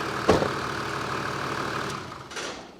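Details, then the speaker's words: Toyota Land Cruiser 80 series diesel, wheels off the ground, idling after air con on and off and a small rev: a brief knock, then a steady, even idle with no chirp, squeal or grinding from tensioners, idlers or pulleys. Everything runs true; normal idle. "Everything there's happy. Not even a sound. >> A good. Yeah. Everything's running true."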